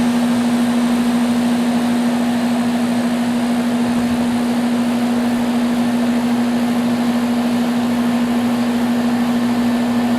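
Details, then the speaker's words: Central A/C condenser unit powered up after repair; steady even low compressor hum with constant fan rush, no clicking, buzzing or stalling: running normally, system saved without replacement. "well it hasn't blown up yet so I think we fixed it this one's saved"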